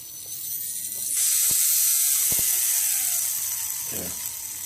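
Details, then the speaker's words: Brand-new HobbyKing 1806N motor with a bad bearing, running without a prop: loud, rough, high-pitched hiss with a gritty rattle, like rocks in a box, where it should be smooth and quiet. It is much worse with a prop attached. "sounds like there's a bunch of rocks in there should be smooth and quiet bad bearings"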